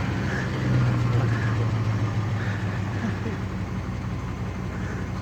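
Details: Truck just after water pump replacement: steady low rumbling idle with even beat, no stumbling, running only because the failing in-tank fuel pump was struck under the tank with a rigged baseball bat. Temporary fix.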